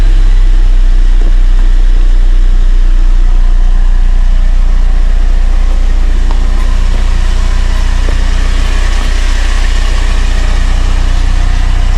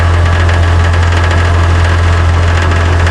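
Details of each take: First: Car idling steadily with no metallic rattle from underneath after a loose undercarriage plate, the cause of the crackling, was temporarily secured. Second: Car idling with a steady low hum and a light, uneven metallic crackle from under the rear of the car, caused by a loose underbody plate.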